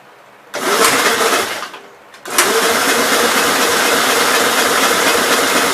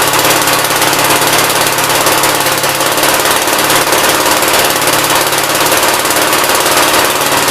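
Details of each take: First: 1957 SR Gravely single-cylinder after top-end rebuild with 15-over rings, cranking in two harsh bursts and sputtering without catching; owner smells no gas and thinks carbon is under the exhaust valve, then concludes valves needed adjusting (zero clearance). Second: 1957 SR Gravely single-cylinder after top-end rebuild with 15-over rings: loud, steady hammering run with no misses, surges or knocks. Idles decently and no longer smokes heavily as before the rebuild; normal idle.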